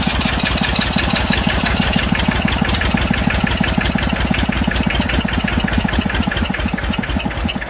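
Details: Massey Ferguson 35 diesel tractor, started with a little "goat juice." Has water leaks and a fuel leak; owner suspects injector copper sealing washers. Steady, fast, even diesel clatter at idle, no misses: normal idle.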